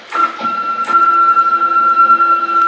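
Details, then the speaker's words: CNC axis stepper motor after backlash adjustments, running on a PLCM Ethernet controller: steady, even whine with clean constant pitch and no stutter, showing smooth, linear travel, a big improvement over before. "direct comparison from that to this listen to that even when it's not pulsing listen to the difference in the motives okay now we'll come back tremendous difference tremendous difference in the linearity"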